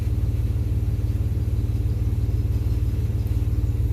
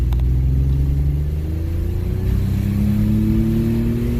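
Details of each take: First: 1995 Chevy Blazer 4.3L with central port injection, after a new spider assembly and lines: steady, even rumble at idle with no knock. Idle is slightly high at about 700-something rpm against a desired 650, with the air-fuel ratio at 14.7. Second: 1995 Chevy Blazer 4.3L central port injection after a new spider assembly and leaking lines replaced: hard, clean wide-open-throttle pull climbing to the top; upstream O2 stays rich, goes lean on decel; much more power.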